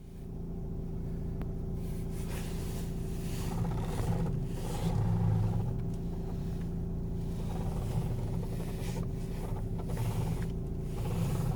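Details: 2015 Nissan Qashqai 1.5 dCi idling while the steering wheel is turned either way: a dull creaking groan comes and goes. Both front strut top mount rubbers were deformed and contacting the strut outer race; fixed under warranty.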